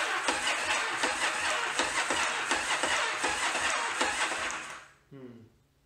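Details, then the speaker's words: 1981 Yamaha Virago XV920 cranked after its carbs were rebuilt and remounted, spark confirmed: starter drags the engine in slow, labouring compression pulses, about three a second, then quits without firing; starter wires get hot from the high current draw. "sounds like crap so the starter motor is working very hard trying to get this engine to turn over"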